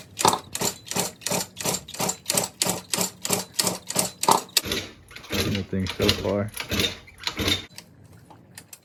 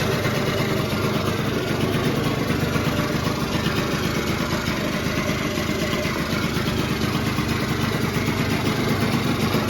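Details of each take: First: Cranking a 1989 Yamaha Zuma 50cc two-stroke "Prebug" on its first start after a 70cc big bore kit, new carb, new exhaust and resealed rings and gaskets: the starter churns in uneven bursts and the engine never catches. Little gas in the tank; they suspect fuel starvation. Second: 1989 Yamaha Zuma two-stroke scooter rebuilt to 70cc with a big bore kit, new exhaust, variator kit and carb, running right after its first start. Steady buzzy idle that holds without stumbling; the motor is running pretty good.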